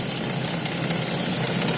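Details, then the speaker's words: Lada Vesta with Valeo clutch, idling with clutch engaged: faint uneven knocking and crackling rattle in the low hum, which the owner attributes to the Valeo clutch disc rattling rather than the engine—rattle at idle. "Вот. Слышите? Вот. И стук, и треск идет. Очень неприятно."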